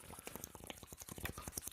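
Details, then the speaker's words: GE 45-gallon electric hot water tank being drained to replace the heating elements, still dripping: irregular wet gurgles and slurping pops over a trickle as air sucks in through the hole; air drawn into draining tank. "yep it's still wanting to drip a little bit but you can hear the air sucking in through that hole anyway"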